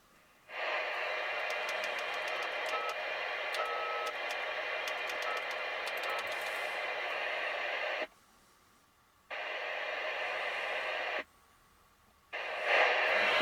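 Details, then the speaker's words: CB radio under a warranty complaint, tested with the antenna connected: an even, steady receiver hiss that cuts cleanly on and off with no crackle, the same as any other radio. Normal background noise. "Podobnie szumi to radio, jak każde inne."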